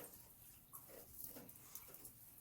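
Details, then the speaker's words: Rainwater dripping off a dormer onto the covered lower gutter of a standing-seam metal roof, after new seamless gutters and Leaf X covers were fitted: a soft quiet trickle with occasional drips, much quieter than before the fix. "the water is dripping off the dormer and landing right on the cover of the lower gutter so give us a lota an hour and now take a video of the fix as you can tell just from the sound it's a lot quieter"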